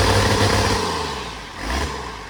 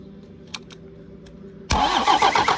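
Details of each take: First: 1993 Dodge W250 with an intercooled Cummins diesel, reportedly 120,000 miles, running with no exhaust fitted: a steady, deep, raw unmuffled rumble that is a little louder than usual but even. The engine sounds smooth and healthy. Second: 1993 Dodge W250 with Cummins intercooled diesel, reportedly 120,000 miles: starter catches after a couple seconds and turns it over in steady chugs, about four a second, without firing; fuel not reaching one injector, turbo feels very tight.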